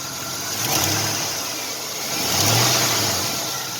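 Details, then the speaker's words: 1999 Chevy Silverado: light throttle blips from idle bring a sharp, hissy tick rising with revs that fades somewhat after a while until given gas; exhaust manifold leak ticking. "and it kind of goes away after a while you can hear it goes away a little bit after a while until you give it a little bit of gas"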